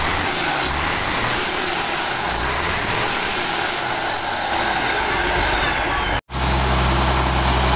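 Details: Mitsubishi Fuso 6D22 truck diesel test-run after rebuild/service, before installation into the chassis. Heavy diesel clatters evenly at a steady speed with no knocks, misfires or grinding; the rebuilt engine sounds healthy and strong.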